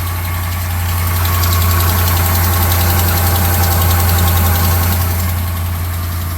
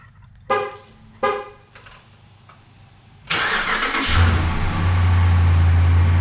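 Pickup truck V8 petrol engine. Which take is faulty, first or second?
first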